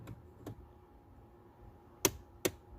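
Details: Hyundai Tucson four-cylinder, HVAC airflow stuck on defrost: sharp paired plastic clicks from the mode door actuator as the setting changes between vent/floor and defrost, actuator cam not moving; HVAC mode door actuator clicking.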